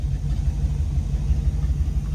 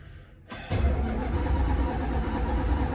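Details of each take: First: Dodge Dart V8 after long storage, first run with all eight cylinders: deep, even rumble with steady low beat, no knocking or missing; normal running. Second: Dodge Dart V8 after long lay-up, fresh fuel lines and filters fitted: starter spins it at about three to four lumpy turns a second but it never fires; crank no start.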